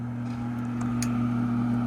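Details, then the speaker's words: 2009 Trane gas furnace on a no-heat call: the inducer motor spins up to a steady low hum with a light click partway in, running smoothly. The tech hopes the pressure switch isn't at fault. "I hope we don't have to go after a pressure switch and we can fix this while we're here but I guess we're going to find out all right there comes our"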